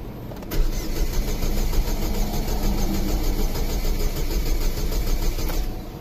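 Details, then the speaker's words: 2005 Saturn Ion 2.2L 5-speed, crank-no-start after a clutch job with suspected jumped timing; cranking more consistent after sitting overnight but slow and uneven with one weaker beat, one cylinder seemingly low; ignition voltage low at 12.2 V. "cranking seems a lot more consistent now there still seems like one cylinders low but leaving it sit overnight seems to have made a difference"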